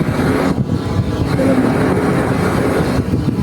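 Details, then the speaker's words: Diesel irrigation water pump in a rice field, broken-off exhaust, engine off: steady low rushing whoosh inside the water discharge pipe, traced to a leak in the pipe. "suara kembrusan di dalam ini suaranya merusak ini suara dari mana ini? Suaranya aneh nih."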